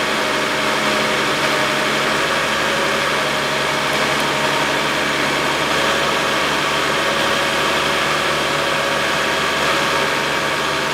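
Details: 2011 Chevrolet Epica 2.0 automatic after replacing drive belt, idler and tensioner pulleys: even, steady idle hum with constant pitch, no squeal, chirp or rattle from the belt drive; normal idle.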